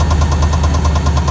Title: Rod knock or converter